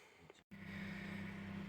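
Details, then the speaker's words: Daewoo Nexia after fuel pump replacement, running on petrol: the new pump is audible and the engine idles steadily after a brief cutout. It did not start first try until the pump built pressure in the fuel rail. Normal idle. "Насос чути працює. Машина, чуєте самі, працює. Це вона працює."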